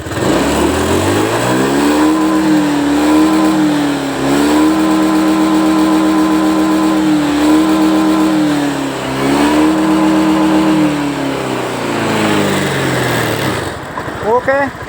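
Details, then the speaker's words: Honda Scoopy with a hard-starting complaint, after plug change made no difference and injector was removed, spray-tested (good) and refitted; fuel pressure normal at 40: engine starts, three clean throttle blips with steady idle between, no stumble, now running normally. "Hidup, Teman-teman. Enak ini. Coba kita gas. Normal, Teman-teman. Sudah normal."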